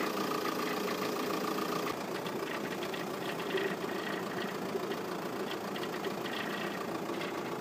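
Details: VW Passat 3C 2.0 TDI diesel at idle: a light, uneven tapping about three to four a second over the running note; the source isn't pinned down.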